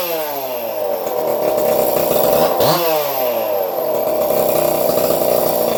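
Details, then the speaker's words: Two-stroke engine after porting (intake port widened, intake flow and duration changed), carb screws untouched, running a muffler: after a blip it settles into a fast buzzy idle, higher than before; carburetor needs retuning. "Sounds like she's idling higher than she did before. I'll have to definitely retune that carburetor."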